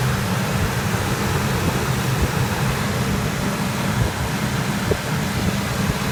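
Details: 2003 Ford F-150 with starting trouble, after battery terminals cleaned, battery 12.7 V, charging 14.7 V: even, steady low hum with smooth airy hiss, no knocks or misses; clean idle.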